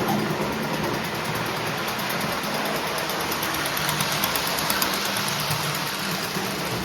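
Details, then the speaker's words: Postwar Lionel 671 turbine toy steam locomotive (686 steamer, 671W tender), after 25 years in storage, then cleaned, overhauled and adjusted with smoke unit filled, runs 2–3 minutes: even motor hum, steady hiss, light regular wheel clicking. Normal running. "We've been letting the engine run for about 2 3 minutes now and it's running very very well for a mid 1940s steam locomotive."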